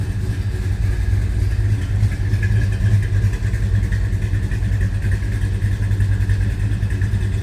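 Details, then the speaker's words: 1970 Dodge Super Bee, original Magnum 440 Six Pack V8, after cold start: deep, loping idle with uneven, choppy exhaust pulse from a big cam, steady and strong; healthy engine. "Nice sound coming out this car. You get a little bit of a lopey"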